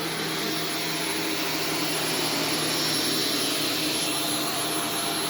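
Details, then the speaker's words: Vacuum on carpet mode picking up Arm & Hammer carpet powder: a steady, high rushing whine with strained, muffled airflow. It sounds like it is choking as powder coats the cyclone shroud, with some reaching the filter and motor. "it already sounds like it's clogging up okay well foreign [Music] it sounds like it's choking what it sounds like it's choking probably because it is"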